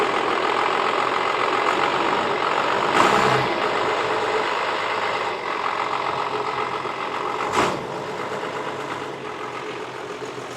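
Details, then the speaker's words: Dodge Cummins diesel, sat for years: steady diesel clatter at a raised idle near 1000 rpm instead of 700–800 that doesn't drop back; sticking throttle linkage holding it high. "I went a little high though. Thousand should be like 7 8. Not a huge deal, but a little high."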